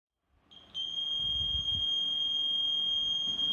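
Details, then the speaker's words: A VLF handheld metal detector on a 9 V battery beeps nonstop with a steady high tone even though no metal is nearby. This is a false continuous signal. "आप देख सकते हैं कि इसमें लगातार beep की आवाज़ आ रही है, जबकि इसके पास कोई मेटल भी नहीं है।"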